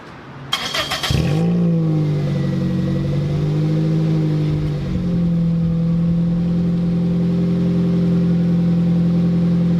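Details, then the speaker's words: 2007 Toyota Corolla LE, muffler removed before fitting TRD muffler: quick crank, then loud deep raspy idle drumming well above normal, siren wailing in background; surprisingly sounds good with no muffler. "Surprisingly, it actually sounds really good with no muffler. I'm a bit shocked."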